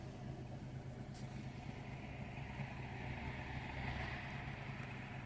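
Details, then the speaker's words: Daewoo Matiz 0.8 petrol three-cylinder with Kemsco D32 ECU, immobilizer disabled after crank-no-start fault; steady low even hum with faint street noise; starts and idles smoothly, normal idle. "Και το αυτοκίνητο πήρε μπρος με καταργημό το immobilizer. Άψογα."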